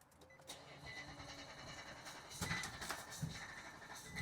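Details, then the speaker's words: 2021 Nissan Titan fitted with an engine from a 2018 vehicle, sitting two years, crank sensor believed disconnected: starter churns several seconds before catching as the engine computer guesses crank position; extended crank before start. "Yeah. So, that's the engine computer guessing, you know, where the crank is. It's trying to figure out when to fire the injectors and the ignition. And it took it a while to do that."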